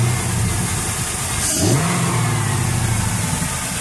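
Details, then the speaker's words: 1999 Chevrolet Camaro Z28 LS1 5.7 L V8 with Spintech muffler, after new serpentine and A/C belts: deep burble through quick rev settling back, no belt chirp or squeal; squeal fixed, pulleys fine. "Monster. See how quiet it is now, babe?"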